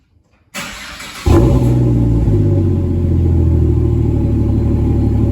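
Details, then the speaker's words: FG Falcon G6E Turbo, first cold start after centre muffler delete: catches and settles into a steady, even cold idle, then light blips rising and falling cleanly; sounds healthy. "that actually sounds amazing i'll just give it a small rib it is still cold sounds amazing"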